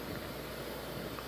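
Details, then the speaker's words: Restored Coleman PQ chandelier lantern with four burners, after clearing scuzz from a tip and still heating up: soft, steady roaring hiss with no sputter or pulsing; two burners now burning normally. "So we got 2 running there, which is great."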